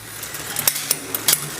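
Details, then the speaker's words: Mountain bike rear derailleur while shifting down through the cassette: sharp irregular ticks about four a second as the chain rides against the next cog; fixed by further barrel adjuster cable tension adjustment. "It's clicking on this one, which means we need to just go down a little bit more. Tighten up that barrel adjuster."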